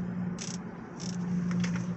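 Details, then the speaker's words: Audi S3 cruising at 50 mph: steady low hum, louder turning right, quieter turning left; owner suspects failing driver's front wheel bearing. Humming noise while driving. "cruising it 50 miles an hour and it's like a humming noise if I if I start turning if I turn right it'll be louder if I turn left it'll be quiet"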